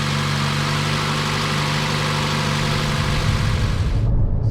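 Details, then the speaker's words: 2014 Chevy Cruze 1.4 turbo petrol idling smoothly after replacing the cylinder 4 coil pack for a misfire; no misfires yet, but not warmed up. The miss appeared when warm and damp, and corrosion is suspected. "so far we haven't had no misfires but we haven't really got warmed up yet and that's when it seemed to happen"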